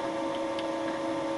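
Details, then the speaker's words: Boring out a lawn mower's molten plastic bearing seat with a Wohlhaupter UPA5 head set to a fixed diameter on a Thiel Duplex 158 mill. Quill auto feed at 0.12 mm/rev, very light cuts. Steady smooth hum with faint light ticks and no chatter; a clean boring cut. "the head was set to a fixed diameter and the tool advanced with the auto feed of the quill (0.12 mm/rev 5 thou/rev) I took very light cuts"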